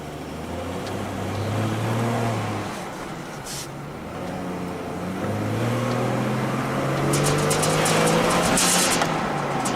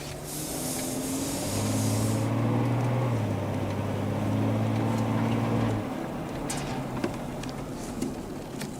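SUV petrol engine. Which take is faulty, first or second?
first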